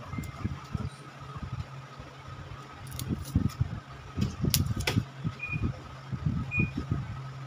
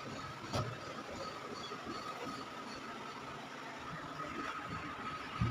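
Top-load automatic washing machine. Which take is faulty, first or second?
first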